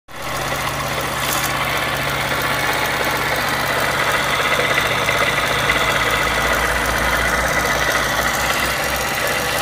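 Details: Yamaha XTZ 125X with 47,000 km, oil changed every 1,000 km and maintenance kept up to date: the single-cylinder idle carries a light, uneven ticking rattle about three times a second. A new engine noise whose cause is unknown.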